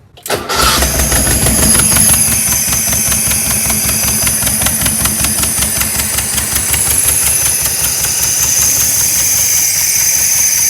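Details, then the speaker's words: 1976 Porsche 914 VW Type 4 2.0 engine, barn find, running on test stand: catches with uneven loping beat over loud hissy top end; rough running, owner suspects big vacuum leak, fuel leak also seen. "definitely sounds like a big vacuum leak and i'm seeing another fuel leak already"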